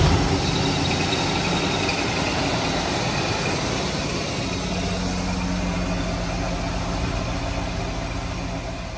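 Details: 1985 Mercedes 500SEC, K-Jetronic, after swapping the original ignition coil for a substitute coil on a modified ignition module: engine catches and settles into a steady, even idle with low rumble, no misses or stumbles; normal idle.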